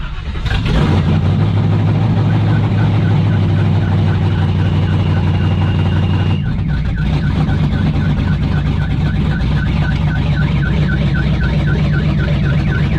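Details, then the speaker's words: 1971 Chevelle with a carbureted 350 small-block, first start after about a week, exhaust not yet installed: fast, slightly uneven, loping idle of about 1100–1200 rpm in park (850 in drive). The idle is too high, and the car is sluggish on throttle. "then when it's in idle it idles around 11 1200 so i thought that was a little bit too high"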